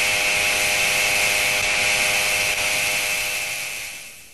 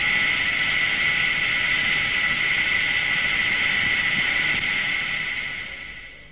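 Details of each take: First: SKF 6309 deep groove ball bearing at 2,000 rpm under 20,000 N load, heard through an electronic stethoscope: harsh, steady high-pitched rushing grind fading as the shaft spins down, from a damaged stationary outer ring. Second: SKF 6309 deep groove ball bearing at 2,000 rpm under 20,000 N load, heard through an electronic stethoscope: smooth, even hiss with a steady high tone and no knocks or crackle, fading at the end; a healthy, undamaged bearing.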